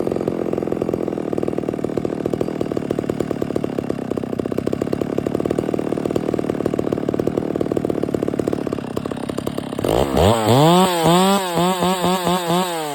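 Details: Stihl MS 660 chainsaw, which revved but would not hold idle and needed the choke. After the carburetor and air filter were cleaned it holds a steady, crisp two-stroke idle, then blips cleanly to high revs and back, idling normally; the owner thinks the fuel cap is broken and leaking, and it smokes a bit.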